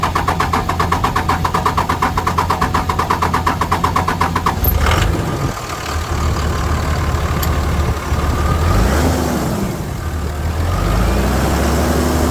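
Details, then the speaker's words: Dodge 5.9 Cummins diesel at idle after injector and push tube work: rapid, slightly uneven ticking chatter over the rumble; owner believes one valve is chattering, not an injector, possibly from not running the overhead, yet it runs smoother than in years. "I think I got one in chattering, but I know it's not going to be injector, so I can live with a little valve chatter. But it's running smoother than it has in years."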